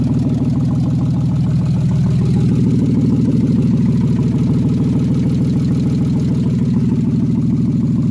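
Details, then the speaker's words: BMW engine after overhaul with M50 intake manifold conversion, first start: steady idle with fast even top-end ticking about three per second; hydraulic lifters noisy because they are bone-dry. "but yeah I mean it fired up it runs the lifters are noisy as hell but that's because they're they're bone-dry"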